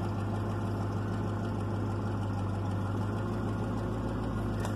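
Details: 1996 Chevrolet Caprice after passkey bypass module install (50 Hz fuel enable signal to PCM), no key fault: smooth, even idle with steady low hum, no stumble or misfire; normal idle.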